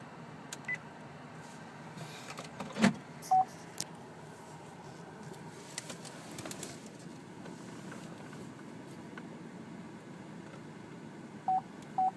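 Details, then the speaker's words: 2012 Chevrolet Traverse AWD LT with ultrasonic rear park assist, reversing toward a nearby vehicle after its parking sensor settings were reset: a few short, clear mid-pitched beeps in a quiet cabin. The rear parking sensors work normally. "you hear that beeping and you can see how close I am to it that's the parking sensor there"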